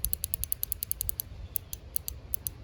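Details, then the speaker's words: Stihl BR-800X leaf blower, micro switch demonstrated: crisp light clicks in quick runs of about five per second; normal micro switch clicking. "most leaf blowers they have a micro switch like this one that when it clicks you can I don't know if you can hear that"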